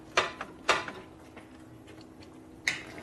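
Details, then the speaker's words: 1965 Harley-Davidson 74ci Panhead FL/FLH: sharp, irregular metallic clinks as the clutch lever moves. Excess free play lets the lever strike the bottom of its bracket; the fix is to readjust it, not the cable. "The lever's got too much free play in it, so it's hitting the bottom of the bracket right here."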